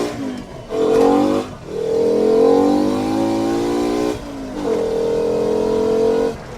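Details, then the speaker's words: Mk2 VW GTI with 5-cylinder swap on test drive, coolant 78°C and rising, engine not pulling hard: revs climb then the note stumbles and cuts out under load before recovering; owner says it breaks up and needs a tune. "see like right there it breaks [Music] up I think I need to get a tuned ASAP"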